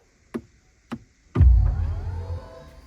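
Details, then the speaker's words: 2024 BMW i5 electric 5 Series, start-stop button pressed: three soft clicks then rising swelling whoosh with climbing tones, the car's normal "blast-off" start-up sound. "And then when you're sitting in the seat and you press the start-stop button to turn the car on and get going, there's kind of a blast-off"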